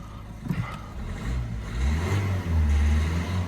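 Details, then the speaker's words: Peugeot 1.6 HDi diesel, codes P12A5/P0266 injector fault on cylinder two, previously misfiring and idling very rough; after repair and codes cleared, short rev picks up cleanly, smooth deep note, no misfire; fixed. "Well, that is uh 100% better. Well, fixed really."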